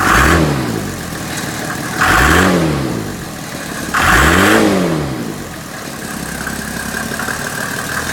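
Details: Mercedes OM606 diesel in W463 swap: catches and flares in uneven surges every couple of seconds, then sags to a lumpy idle with lots of smoke; hard start, rough running, cause unconfirmed.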